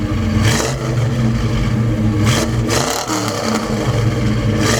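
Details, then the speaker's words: 1972 Chevelle Malibu 383 V8 after fitting Doug's 1 5/8 x 3" headers and Flowmaster 2.5" H-pipe exhaust, under way: deep choppy rumble rising and falling cleanly through revs, loud but smooth, no rattles or leaks; deeper tone, more chop; normal exhaust note. "Like from the outside, it's definitely louder, but even on the inside, you can tell. Yeah, and I feel it's got a deeper tone. Yeah, I think so. I feel like there's almost more chop to it as well."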